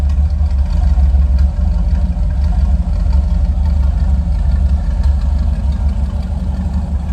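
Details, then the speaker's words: Chevy Van after power steering pump replacement, first drive of summer: deep, even engine rumble with steady drone and no knocks or misses; engine sounds good though the van body rattles. "She's running as rattly as ever, as you can probably hear. The engine at least sounds good."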